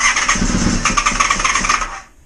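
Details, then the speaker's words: Honda VFR400R: runs about two seconds with uneven, stumbling pulses then stops, a rough unstable idle while carb settings are still being found. "oh that just ran for a little while while then and when I grabbed the camera and uh went to film it it stopped"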